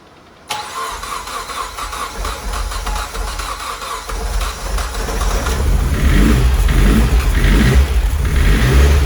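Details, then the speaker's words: 600 bhp Mitsubishi Evo X turbo build, first start after fitting timing chain, fuel pump hardwired to 12 V: catches after cranking into a lumpy uneven rumble that slowly steadies; rough running, owner suspects too rich, later suspects air leak. "now i did have to hardwire the fuel pump to 12 volts which is why it was running very very lumpy at first because it was probably running too rich"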